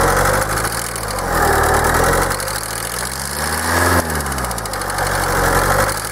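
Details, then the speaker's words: Kia 2.0 CRDi Bosch common-rail diesel idling, injectors unplugged one by one: revs rise and fall, light fast metallic tapping over the clatter, no change per injector except rpm; knock seems more on the right side, cause unknown. "coś stuka ale nie wiemy co stuka gdzieś tutaj kurczę bardziej w obrębie tutaj tej prawej strony słychać"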